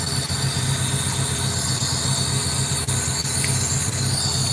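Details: 2007 Honda Civic 1.7L that bucks and stalls while driving, diagnosed with cylinder 3 and 4 misfire and suspected bad ignition coils. After coils were swapped, codes moved to cylinders 1 and 2. Uneven, loping, stumbling idle; a large leak is also suspected.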